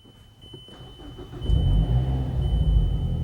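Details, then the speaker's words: Mazdaspeed3 first start after high-pressure fuel pump and intake install, battery reconnected: short crank, catches straight away, settles to even steady idle with no misses or odd noises; runs fine. "Everything seems good. Let's go check out the engine bay. Everything seems fine."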